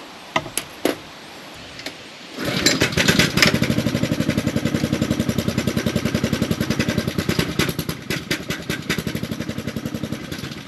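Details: Pressure washer small engine after pump replacement (4-bolt, 3/4 inch shaft pump), water on and air purged first; a few clicks, then it catches and settles into an even, fast putter of about three and a half beats a second, normal start and run.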